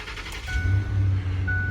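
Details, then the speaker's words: 2008 Ford F-150 STX that cranked but would not start: the new replacement unit is plugged in before mounting, the computer holds the starter engaged up to about 10 seconds, and the engine catches quickly into a smooth idle; normal start. "the starter will stay engaged for about 10 seconds until the truck starts that's just a normal"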